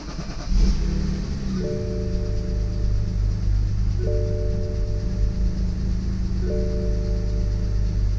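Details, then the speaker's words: BMW X3 F25 with the N52N engine, started after an oil change, door open: the engine catches quickly and settles into a smooth, even idle while the door chime repeats; normal start and idle. "Okay, well, it starts, so that's a good sign."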